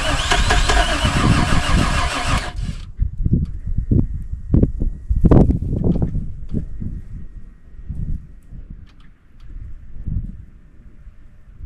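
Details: Buggy's cold start after sitting about 3 months following an overnight swamp burial, jump-started after bad-battery trouble: brief loud cranking catches into a low, lumpy, uneven idle thump as it warms; normal start, though a tune-up is planned.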